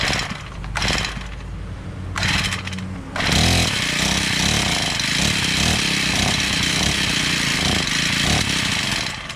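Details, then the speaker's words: Honda GX35 four-stroke brush cutter, bought used: engine catches in short bursts, then revs raggedly under throttle and won't hold idle or keep running; faulty carburetor, later replaced. "Ah tá que que acontece a máquina tá pegando mas noutros para de jeito nenhum máquina pega uma Noite Fora galera porque esse carburador e outro detalhe não dá lenta não galera de maneira nenhuma"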